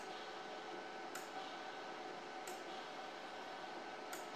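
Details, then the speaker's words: New Firepower FP-200 MIG welder, trigger pulled with no gas connected, set up for a flux-core test: an even wire-feed motor whir with sharp gas solenoid clicks about every 1.5 seconds, normal operation. "yeah I can hear the solenoid clicking to let gas through which it's not hooked to gas and everything seems to move so I think we are good in that respect"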